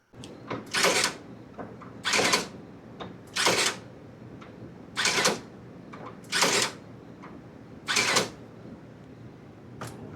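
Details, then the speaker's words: Toro zero-turn mower, newly replaced brake box actuator motor cycling as steering arms move in and out: short clean whirring bursts, about seven in ten seconds, faint clicks between; brakes engage and release properly. "You can hear that those are going in and out. The brake is being actuated with that motor we just replaced each time we go in and out with the arm."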